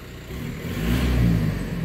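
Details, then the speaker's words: Normal idle of a VW 1.9L PD BEW TDI diesel swapped into a Toyota FJ Cruiser after camshaft replacement, cams already broken in at 2000 rpm; low, even diesel rumble that swells briefly and eases back, no knocks or rattles. "i already did the break-in procedure earlier so just gonna let the car chill"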